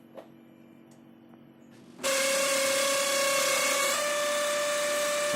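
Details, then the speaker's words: HP LaserJet M600/M602 printer: after a quiet start, a harsh rasping grind, sometimes squealing, over a steady whine, with paper jamming under the cartridge; worn drum drive gear, fixed by replacing motor gear and drum drive gear RM1-8489. "такой вот неприятный скрежет скрежет а то даже иногда и визг и происходит замятие бумаги непосредственно под картриджем"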